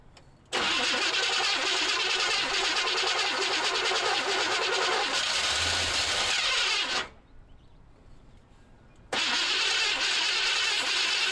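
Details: 1978 Chevy C10 Square Body after adding 4–5 gallons of fresh gas: starter spins evenly about six seconds, pauses, cranks again, never fires; crank no-start, cause not confirmed.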